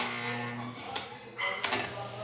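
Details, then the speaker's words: Britânia Turbo desk fan after bearings were fitted: the motor gives a low, steady drone and struggles to reach speed even though the shaft spins freely by hand; a misaligned, warped bearing housing binds the shaft. "Mas o mesmo, ele tá roncando, tá?"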